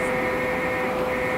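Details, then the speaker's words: CNC mill conversion: a servo motor jogged at 10% feed rate in continuous mode gives a constant mid-pitched whine with no grinding or clunks; the servo runs cleanly, after earlier servo runaway problems. "there you go so you can see it it's moving now so I can I can jog the X motor back and forth and I can jog the Y motor back and forth"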